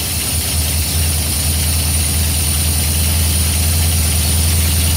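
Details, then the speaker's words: Small-block 307 V8 with FiTech fuel injection, cold first start of the day at about 40°F: turn key, prime, starts right up into a steady, even low rumble at raised cold idle, no misses or knocks; normal. "Unlike the carburetor that you have to do a lot of pumping for it to start up, here you just turn the key, let it prime, fire it up, and it starts right up. Engine is cold, hasn't been started at all."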